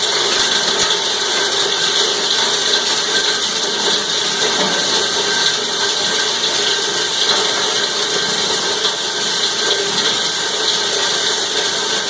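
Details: Cumberland 7.5 hp granulator, 12x12 cutting chamber, grinding PVC (Schedule 40 pipe, P-trap, fittings): even, dense chopping and rattling with a steady high hiss, no labouring or knocking; normal grinding operation.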